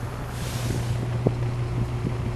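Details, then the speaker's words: Toastmaster box fan, cleaned, on low (quiet) speed: smooth steady low motor hum with a soft rush of air, no rattle or scrape — normal running on low speed. "quiet. There's a motor, just humming. Very good fan. It's a good quality fan,"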